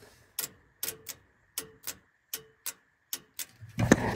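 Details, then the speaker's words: Fuel shutoff solenoid on the fuel injection pump of an International wheel loader that sat eight years, fed 12 volts directly from a jump pack: sharp paired clicks about every half second, so the solenoid pulls in and works. "all right so with my jump pack I'm just putting 12 volts directly to that little solenoid and I don't know if you guys can hear it clicking"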